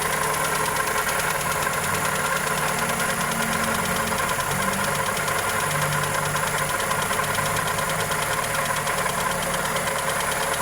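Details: Toyota Corolla EE90 with 2E engine at steady idle, no revs: fast, even tick riding over the engine note; valvetrain or connecting rod suspected, source unconfirmed.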